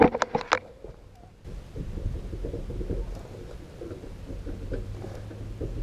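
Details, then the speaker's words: Camper trailer wheel rocked by hand gives a quick run of sharp metallic knocks from a loose wheel bearing with excess end play. "Can you hear how loose that is? Alright, what we're going to do is we're going to try to tighten these up without having to remove them from the camper."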